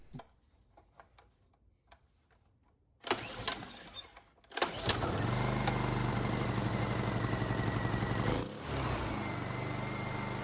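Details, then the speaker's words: Honda EU2000i inverter generator with a rebuilt carburetor and a newly cut and fitted throttle-to-governor spring, retested from choke. After a quiet clatter it catches and settles into a steady, even drone with no hunting. Air filter assembly is still off. "the transition at different speeds as well as running on the higher rpm is a lot smoother out of the spring you see big difference"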